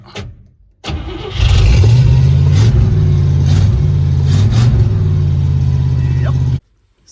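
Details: Abandoned 1961 Cadillac V8 being revived with a makeshift fuel system and newly working choke: brief cranking, then catches into a deep, slightly uneven rumble before shutting off; slow to fire, cause not pinned down.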